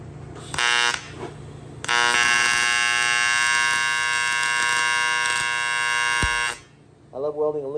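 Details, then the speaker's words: TIG welder on AC at 200 amps filling a hole in aluminum plate: loud, steady, even buzz like a tattoo machine through each weld pass with short starts and stops; normal AC arc. "I'm just going to come in here in the middle and start to weld up this small middle hole. It's going to get loud."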